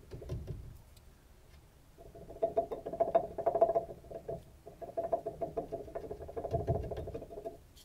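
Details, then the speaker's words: Loose, rattly clunks as an excessively worn lower ball joint, boot removed, is rocked by hand showing much play, on a 2006 Dodge Ram 1500 4WD (third generation) during ball joint replacement. "once that boot has been removed you can see there is quite a bit of play in the ball joint it's extremely sloppy when it moves around and hopefully you're able to hear the clunking"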